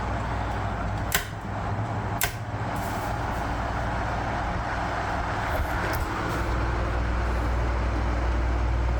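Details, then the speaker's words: 1973 National F-30AAD table fan at full speed, after temporary lubrication of bearings and gearbox: steady soft low hum, a few light taps, no squeal or rattle; runs quietly and normally. "and it is pretty quiet even at full speed I'll run it like this until midnight full power get that motor warm and that oil flowing"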